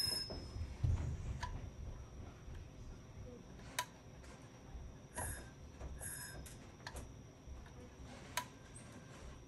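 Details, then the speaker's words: IBM XT 5160 10MB hard drive after 25 years unused, on a bench supply at about 12.3 V drawing roughly 1.5 A: sharp irregular relay clicks over a low hum with no spin-up whine. Spindle stuck, fails to start (stiction). "You hear the relay in there clicking. Just does not want to start. Because 25 years of sitting around doing nothing tends to make that happen."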